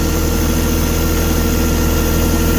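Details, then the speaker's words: Diesel tractor in winter after gelled or iced fuel stalled it, restarted after bleeding the fuel system about three times, cold: steady, even idle with a deep unbroken hum, no misses or knocks; normal idle. "Oh. Now, she sounds good."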